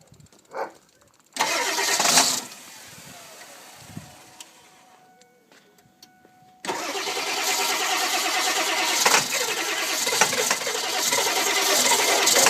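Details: 1999 Ford 7.3 Powerstroke diesel with a bad glow plug relay, relay jumped: starter grinds, stalls to quiet, then finally catches into a loud, rough, loping idle; hard start from the glow plug relay fault.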